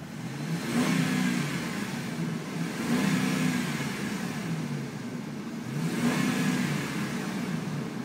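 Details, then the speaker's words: 2005 Ram with 46k miles, heard through the rolled-down window: three clean throttle blips, revs rising and falling smoothly with no knocks or rattles; quiet, healthy engine revving normally. "let's uh actually let's roll down the window and listen to the motor here it's a really quiet truck"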